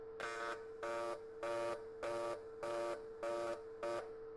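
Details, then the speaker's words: TIG welding on AC/DC mix setting, factory settings except user-set waveform, frequency and balance, audio sounding boomy: arc alternates a buzzier bright tone with plainer hum about 100 times a minute; even, normal AC/DC mix pulse. "And just if you can, have a listen, even though it sounds like we're in a tank. But you'll hear it go from AC to DC as it pulses."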